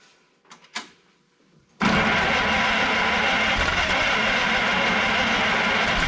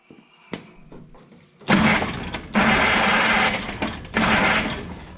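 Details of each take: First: Old rockabilly rat car after ignition points trouble: a couple of cranks, then the engine catches and settles into a steady, even run with no misfire or knock. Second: Old engine with points ignition, cold damp conditions: three bursts of steady cranking with spark at the plug but no firing; fuel delivery suspected, timing being adjusted; points previously found shorted.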